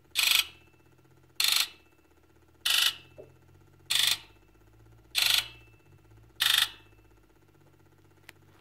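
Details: Ford 7.3L Powerstroke, key on engine off, Launch X431 injector electrical self-test: sharp, even buzzes about every 1.25 seconds, each injector responding strongly in turn, no fault codes; normal injector buzz test.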